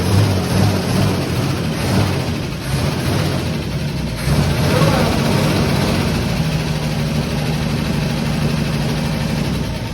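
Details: Fire-damaged 1951 Chevy six-cylinder, running without radiator after carb stopped leaking: deep, steady idle with an even low rumble, no knocks or misses; normal running.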